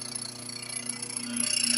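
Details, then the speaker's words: Nutrimill Harvest grain mill turned on and running empty before berries are added: fast even clicking of the stones over a high motor whine; normal. "Then you can hear the stones clicking, making noise."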